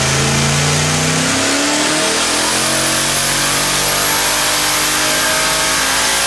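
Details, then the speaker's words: Quad-turbo LS V8 on an engine dyno on pump gas, after two dead cylinders were fixed and fueling cleaned up: loud, smooth rising roar pulling up through the revs with no stumbles; clean acceleration on all cylinders. "you now listen to the difference here after we got rid of two dead cylinders and cleaned up the fuel in quite a bit this sounds like an entirely different engine"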